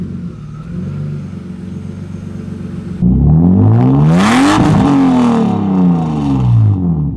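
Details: BMW E36 drift car after its blocked catalytic converter was replaced with a new one: quiet idle, then a loud rev climbing and falling back cleanly with a smooth deep exhaust note, no leaks or rattles; normal.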